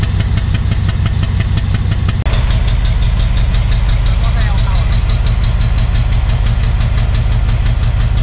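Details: Thai Railway Alsthom diesel locomotive idling: deep rumble with a regular pulsing knock about three beats a second, plus black smoke. The cause is unknown and under analysis.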